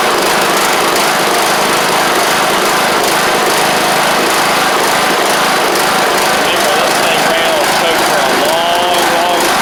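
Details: John Deere LA100 riding mower (5-speed transaxle), sat a long time with water in the tank and hard starting blamed on valves, now running off choke: busy, steady high-revving small-engine hum, no misses or stumbles; runs properly, though the spark plug is suspected to have failed.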